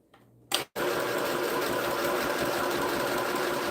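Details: Sewing machine starts sewing when switched on, no foot pedal needed; quick click then steady even needle chatter about four stitches a second, smooth and unlaboured; normal.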